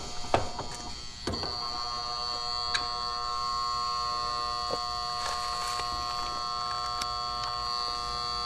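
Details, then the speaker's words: Residential AC condenser on a no-cooling call: new 40 amp Titan Max contactor with lugs, its coil energized by low-voltage wires while the high-voltage side is disconnected, gives handling clicks then a steady even buzz; normal contactor coil hum. "Now, some of y'all are going to be wondering why that's huming when there's no electricity hooked to it. There is. These wires right here have low voltage and they are energized."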